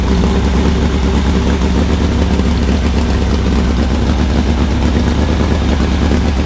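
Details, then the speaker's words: Freshly assembled 1600cc dual-port VW engine on a 1975 VW trike, big cam, break-in, 40 psi oil pressure at about 1000 rpm idle; steady deep lumpy idle and revs with an even beat, no knocking or rattles, healthy. "wow listen to that baby cam oh my god we're 40 psi at an idol we get a thousand rpm"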